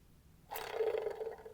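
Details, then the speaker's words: Citroen C4 1.2 wet-belt engine, old water pump removed and spun by hand: a rough gravelly whirr lasting about a second as it spins down. Its bearings have completely collapsed, likely where the leak came from. "So, the bearings have just completely collapsed in there. So, I would say that's probably where it was leaking from through here."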